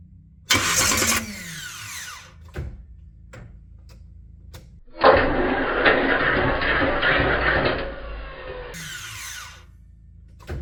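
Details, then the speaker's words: '83 Buick Regal G-body V8 cranking on a new Powermaster PowerMax Plus mini starter (713-9004), fitted after a no-crank, no-click problem when hot after long drives; distributor disconnected so it won't start. Two clean, even cranking bursts, no grinding; starter engages the flywheel properly. "I also slowed down the video a little bit just to see if it was going too far out or not far enough into the flywheel. So no grinding, anything like that. It sounded good."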